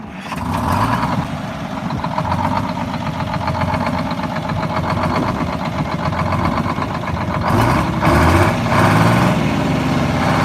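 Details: Heavy two-stroke diesel bus engine idling with a lumpy, uneven beat that sags and surges, lugging, not revved; governor needs adjusting.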